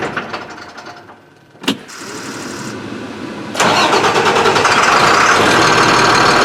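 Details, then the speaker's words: Beverage truck with DT466 diesel that starts hard after sitting overnight: cranks, catches after a pause, then runs steady but flat and short of power, like fuel starvation. Mechanic suspects air in the fuel; unconfirmed. Rough running after start. "a couple times i've started it it starts but it's not running like it has full power it's like it's running out of fuel"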